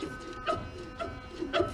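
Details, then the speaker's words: Trailer electric brake magnets energized at max setting on the brake controller, wheel spun by hand: steady even electrical buzz of the magnets with the brake holding firm, confirming brakes and wiring are good except on one wheel. "now you come over here and you can hear the buzzing of the magnets but"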